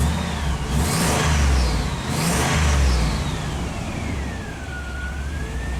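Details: 2002 Chevy 2500HD after a newer-style electronic throttle body retrofit for reduced power P1515, no codes present: engine catches and revs cleanly, note climbing and settling smoothly with no stumble or misfire; healthy start and rev.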